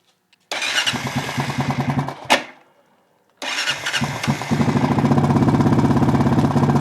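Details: Honda Foreman single-cylinder engine starts, stalls, restarts, then idles with a quick steady tick about three per second; valves already adjusted correctly, owner suspects timing chain, unconfirmed.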